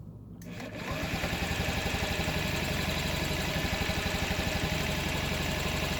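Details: 2012 Honda Ruckus: starter turns it over with even compression pulses about four a second, throttle changes the sound but it never fires; fuel and spark confirmed, carb cleaned, solved by a new carburetor as old one was badly gummed.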